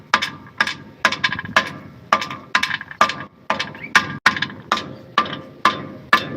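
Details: 2010 Mitsubishi Pajero front-end noise: rubber hammer taps on the hollow steel front crossmember, each followed by a brief loose rattle from a stone trapped inside it.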